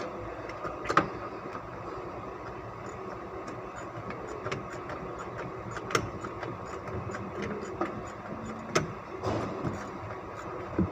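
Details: 2005 Ford Expedition V8 at idle before ignition coil replacement and spark plug cleaning: steady idle broken by irregular sharp pops and stumbles every second or two; misfire from failing coils.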